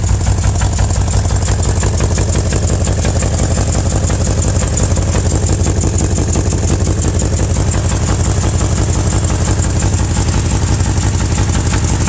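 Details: 2000 BMW M5 V8 idling steadily with a regular knock about two a second through the low rumble, from the bottom end; cause suspected, not confirmed.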